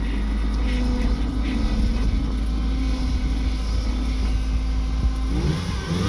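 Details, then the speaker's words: 1995 Eagle Talon TSI after timing redone, balance shaft belt and idler replaced and plugs changed: engine revving with a faint steady whine and squeak above the rumble, coming from the power steering pump. "It's a little bit of a whine."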